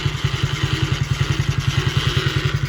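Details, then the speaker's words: 50cc kids' quad, first run after revival with oil checked: small engine thumps out a steady clatter about ten knocks a second; owner suspects transmission noise, unconfirmed. "It sounds like a transmission thing or something."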